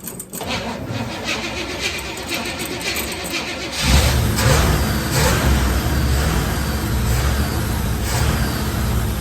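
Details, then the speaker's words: 1974 Chevrolet C10 bought as a non-runner: the old high-mileage engine idles uneven and lumpy with faint chuffing and some blow-by, and struggles to hold idle; it needs a tune-up. "Does not want to idle."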